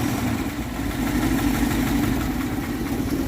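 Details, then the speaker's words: 1962 Dodge D200, 318 Poly V8, just revived after sitting since about 2013: rough idle with lopsided beat and recurring stumble; a miss, cylinder eight suspected, not confirmed. "i'd be curious to see what cylinder eight looks like after it's ran for a while yeah maybe we'll check that out in a little while develop the miss"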